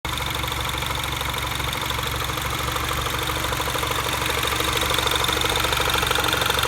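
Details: Mini Cooper S R56 at idle after timing chain tensioner updated with new part: fast light tick about three a second under busy top-end whirr, no chain rattle; owner unsure if normal, source unclear.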